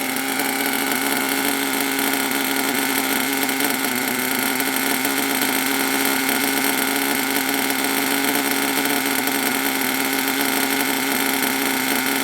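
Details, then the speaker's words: HPI Savage SS nitro RC truck, run after years in a shed with the crankcase full of PB Blaster and 3-in-1 oil, holds a steady, high-pitched buzzing run without stumbles; it sounds deep, throaty and healthy, idling slightly low. "but it started to run really well don't forget the whole crank case and everything it was fill up with PB Blaster three in one or probably a load of old Nitro but it actually runs really well and it sounds a nuts sounds really deep and just like throaty"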